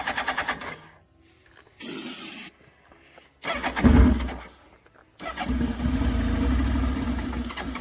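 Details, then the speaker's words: Suzuki Hayabusa after sitting: repeated short cranking bursts, then a brief rough catch that dies; it runs only on starter fluid because the fuel pump is not strong enough. "it runs off starter fluid so the bike will run it's just not that pump's not strong enough"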